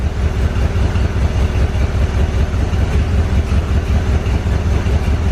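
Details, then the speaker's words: Barn-find 1970 Corvette started from a gas can; lumpy loping idle, two to three pulses a second, a cylinder dropping out and catching intermittently; owner suspects fouled plug or bad wire, not confirmed; not burning oil. "it's trying to fire that's just a bad plug or a wire Wow okay I'm going to turn it off oh yeah you can hear that cylinder it's wanting a fire probably a foul plug"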